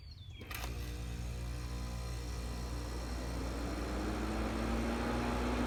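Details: 1968 GE Fashionette 6000 window air conditioner, cleaned, fan motor lubricated, new filter foam, started on low cool: a click, then a steady low hum building smoothly as the motor comes up to speed, no rattle; very quiet. Normal running.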